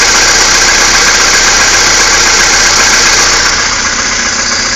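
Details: Skoda Fabia II 1.6 CFNA, about 22,000 km, cold start at -16°C: cold idle with fairly regular light ticking knock, roughly 220 per minute, over a hissy engine note; knock source unclear.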